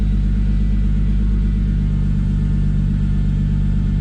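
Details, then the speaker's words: MK3 Toyota Supra 7M-GTE 3.0 turbo straight-six with metal head gasket, ARP studs, 550cc injectors and Garrett GT35 turbo on one bar boost, at idle: a deep, steady low rumble with an even pulse and no ticks or knocks, a normal idle. "this 3 l uh straight 6 with a turbocharged engine it's it's a really deep sound that it makes and I just I love it"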